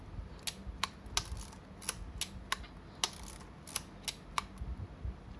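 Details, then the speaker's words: Yashica Electro 35 GSN film camera after repair of a stiff, jammed shutter and film-advance lever: crisp, unhurried shutter clicks about every two seconds with no binding. Each advance must click; no click means the release wasn't pressed fully. Normal advance and shutter. "แล้วขึ้นฟิล์มครั้งต่อไปทุกครั้งจะต้องมีเสียงแบบนี้อ่ะถ้าไม่มีเสียงแสดงว่าเรากดไม่จมนะครับ"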